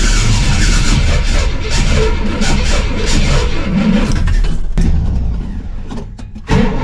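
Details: 1968 Pontiac LeMans V8, sitting most of the winter, cold start: deep, uneven, lumpy rumble with a brief dropout, as if out of time; cause unclear.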